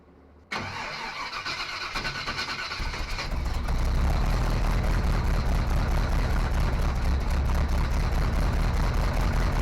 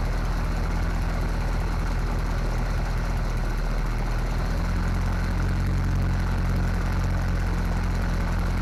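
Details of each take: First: Small-block Chevy 350 V8 in a '55 Willys wagon, first run after replacing a failed new fuel pump, running off a temporary tank: catches after short crank, loud uneven idle; suspected major vacuum leak, possibly from an unplugged hole in the intake manifold. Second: 1955 Willys wagon with small-block Chevy 350, first start after removal from a '46 Chevy: low, deep, somewhat uneven but continuous idle after plugging a manifold vacuum leak and fixing fuel delivery; running off a temporary tank, carburetor still needs adjustment.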